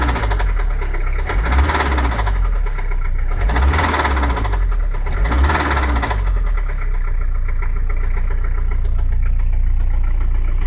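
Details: 1985 Peugeot 505 XD3 diesel idling roughly with a heavy, rhythmic knock deep in the engine, rod knock after hard driving; engine considered very sick and needing replacement.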